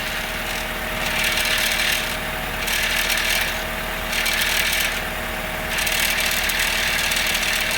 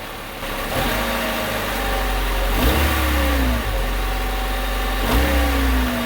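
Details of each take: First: 2000 Honda Civic, engine idling: a tinny metallic buzz pulses in waves from a loose exhaust heat shield. The other shields down the line look tight; a gear clamp around the shield is planned. Exhaust heat shield rattle. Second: 2000 Honda Civic after a gear clamp was tightened around the loose, rusted exhaust heat shield. Clean revs from idle with pitch rising and falling smoothly and no rattle returning: normal revving.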